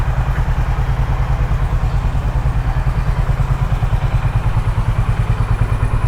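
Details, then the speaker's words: Honda H'ness CB350 after throttle-body cleaning/service, idling without throttle: deep regular thumping about three pulses a second, even with no misses or hunting, no engine malfunction light; runs clean. "So let me just start it up one more time for you. So no engine malfunction light over here, as you could see. Things are just fine without throttle."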